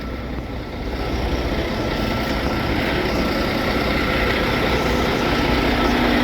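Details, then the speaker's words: Diesel truck idling: steady, even low rumble with a regular beat, no knocks, misses or grinding; sounds in good shape, though owner suspects weak batteries or alternator. "uh it sounds like the batteries are the alternative week but other than that it's all good"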